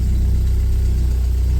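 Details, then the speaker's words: 1980 Porsche 924 with mechanical fuel injection, first cold start of the day on a mild day: needs a throttle blip before it will idle, then settles into a deep, steady, evenly pulsing idle with no stumbles or ticks. Oil pressure lights go out immediately. Normal cold start idle. "And generally you need a little blip of throttle with these things and mechanical fuel injection before it'll idle, so there it is."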